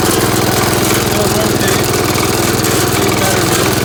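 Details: Gravely Commercial 12 walk-behind tractor after mouse nest removal and reassembly, about 40°F out; steady single-cylinder thump, about two firing pulses a second, running evenly without misses or knocks.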